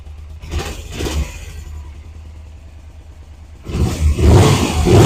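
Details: 1991 Suzuki GS500E twin after cold start, before fitting new exhaust, revived with new tank, cleaned carbs, new plugs, oil and battery: two quick blips, even low idle, then strong clean rev, no misfire or rattle; normal, dirt-bike-like sound.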